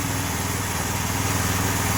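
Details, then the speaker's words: New 212cc Predator engine repowering a homemade log splitter (replacing a 5hp Tecumseh): steady, even idle, no misses or knocks. Normal idle. "we're just gonna let it run itself out of gas and uh it's gonna empty the fuel line"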